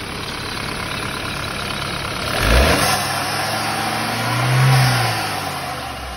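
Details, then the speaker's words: BMW 328i idling: strong steady hiss that swells with quick revs, from a vacuum leak through a likely torn diaphragm in the PCV valve; fixed, with no more whistling. "Diafragma. Deve estar furado e dá esse barulho de chiado, ó."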